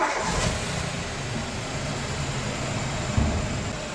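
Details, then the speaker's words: Ford EcoBoost engine rebuilt with timing set without timing tools and a cracked turbo coolant bypass pipe replaced, after sensor problems: steady, even low hum with no knocks, misses or whines; normal running. "So, we did that and we had that problem with the sensors, but the engine is running perfectly fine."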